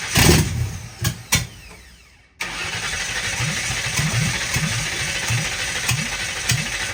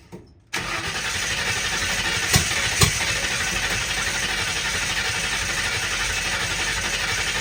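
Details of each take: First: 1960 Ford F100 shop truck started for the first time in years, with a temporary fuel setup, new carb jets and open headers: cranking catches and the V8 fires loud and lumpy, then holds a steady burbling idle; it starts and runs fine. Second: 1960 Ford F100, first start in years, open header, 50 lbs oil pressure, mass air flow sensor cleaner sprayed down the carb in place of ether. Steady cranking with two sharp pops as fireballs shot off the header; owner suspects a stuck float: backfire while cranking.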